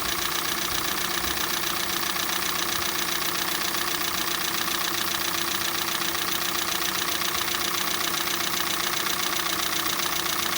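Light, fairly even knocking at roughly two and a half per second rides over a cold idle; a cold-engine knock, cause not yet pinned down.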